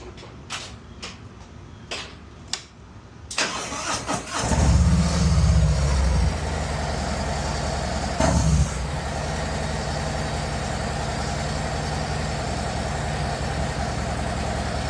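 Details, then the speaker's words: 2024 Harley-Davidson Road Glide after repairing the ignition coil harness wiring that caused limp mode: clicks, then fires into a steady even loping idle with no misfire; power restored, check engine light still on. "So it sounds like the bike has its power back, but we still have a check engine light."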